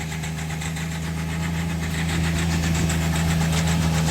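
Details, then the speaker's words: Hyundai Xcent / Grand i10 with customer-reported self-acceleration: with no throttle input, engine rises on its own and holds a steady high drone stuck at 3000 rpm, not returning to idle until switched off; cause not yet found. "Oscillator அடுத்தவே இல்லை. ஆனால் 3000 ஆர்பிஎத்தில் அப்படியே stuck ஆகிடுச்சு."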